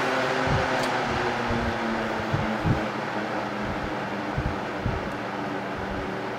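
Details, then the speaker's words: 1971 Wizard 12-inch box fan heard from the rear on low speed: soft, even rush of air with a low steady hum and a few light bumps, no startup noise, running smoothly. "and then from the rear we're going to do we'll start off on low speed so you can hear no real startup sound this is nice and quiet and from high speed"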